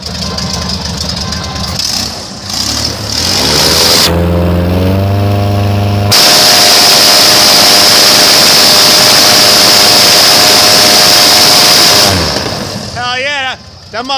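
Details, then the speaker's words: Airboat engine first fire during prop pitch testing, battery sounding weak: the starter grinds and it catches, then settles into a strong steady roar at full throttle with flames from the exhaust and no misses or knocks; normal running. "sounds good that's where you want you can see flames shooting out the exhaust at full throttle"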